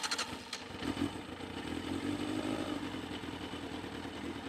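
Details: 2001 Yamaha FZS600 Fazer four-cylinder: quick crank catches at once and settles into a smooth, even idle with no misfire; healthy start.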